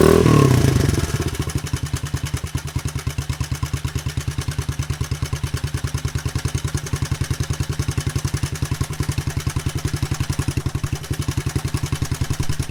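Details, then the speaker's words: 1983 Honda XL200R single first run after 15+ years sitting, burning off old oil, little smoke: settles into regular idle thump with light clatter on top; top end rattle, cause not confirmed. "it actually sounds really good doesn't smoke too bad or anything we are burning some stuff off of the engine and everything that's that's been there over the years some oil and stuff uh it does have some top end noise"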